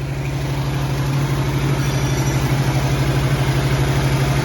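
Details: 1967 Ford Mustang V8 at idle, running again during the project: deep, steady rumble with a slightly lumpy but even beat and no knocks or ticks, with good oil pressure; a healthy, settled idle.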